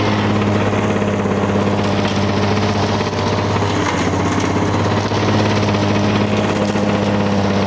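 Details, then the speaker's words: 1985 Lawn Boy 7350 two-stroke mower, revived after years outside, deck set high on aftermarket wheels, cutting thick weeds; steady, smooth burble under load, no misses; owner says good running, though may adjust the RPM. "well there you have it blonde boy out doing what a lawn boy is good at clearing brushed and Mowing and verbaling away good running old mower real good running on mower"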